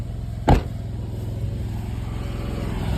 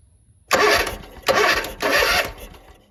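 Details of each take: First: Zero-turn mower single-cylinder engine, formerly crank-no-start, after rebuilt/new carb, new air filter and new spark plugs replacing badly fouled ones: fires up and settles into a steady even beat with no misses; running healthy. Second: Zero-turn mower, crank no start: 12 V battery, spark present, fuel in intake still won't fire, air filter completely clogged; three half-second cranking bursts turn the engine over without catching; carburetor gaskets found failing, carb rebuild planned.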